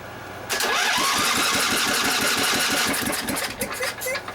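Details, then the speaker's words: 23 hp Briggs & Stratton V-twin cranking for about four seconds with fast, even starter chugging that never catches: the brand new coil on one side gave no spark, and refitting the old coil restored spark. No start from a faulty new ignition coil. "I tested the coil. The coil seems to be okay, but it's still not sparking."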